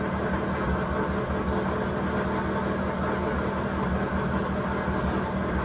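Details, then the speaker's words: Petrol engine idling with an uneven, lumpy low rumble after reassembly and alternator bracket fix; misfire (palyado) persists though charging now works. "thank you po palyado na lang balik ulit tayo sa palyado brush lang"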